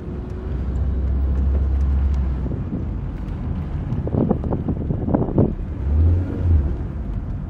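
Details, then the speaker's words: 1994 Toyota Corolla XLi 1.6, 228,448 km, on an axle check during slow left and right turns: low steady engine and tyre rumble with no rhythmic clicking, so the CV axles are normal. "sağa solax'ta bir şey yok dedi Yusuf Usta Herhangi bir problem gözükmüyormuş"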